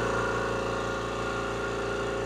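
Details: Air compressor run via switch before adding electric unloader valve: steady, even motor drone with smooth pumping pulse, no knocks or rattles; normal running, mechanical unloader releases line pressure at shutoff.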